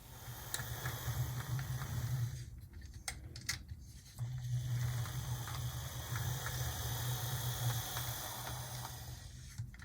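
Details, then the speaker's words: Gulf, Mobile and Ohio Proto 2000 S1 switcher loco that had sat unused, a model possibly prone to cracked gears, first run on track: quiet, even motor hum with light gear whir and brief pauses; runs smoothly, no problems. "so let's see well here it goes no problems whatsoever"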